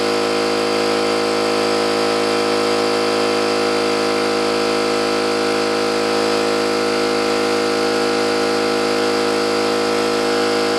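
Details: New oil-lubricated Campbell-Hausfeld air compressor filling the tank under load: steady even pumping drone with fast regular beat near three per second, no metallic clatter, unlike the old Brute; healthy.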